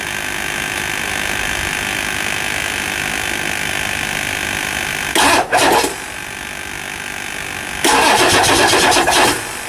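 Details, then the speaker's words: 1999 Ford F350 7.3L diesel after injector cup replacement, slightly hydrolocked from oil left in cylinders, turned over by hand: starter cranks in two long fast, even bursts but the engine never catches; extended cranking hard start. "we forgot to turn the engine over before we put the injectors back in so it was a bit hydr locked so we let it sit let it turn over so it might be a little Smokey but let's see what she"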